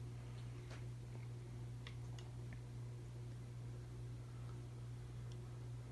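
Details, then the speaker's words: 52" Emerson Heat Fan, 3-blade, motor dated October 1981, on its original Emerson solid-state speed control from 1982 at museum speeds: a quiet, steady low hum under soft fan whir with faint ticks; the hum is common with solid-state controls. "You might hear that it making humming noise, it's common with solid state speed controls."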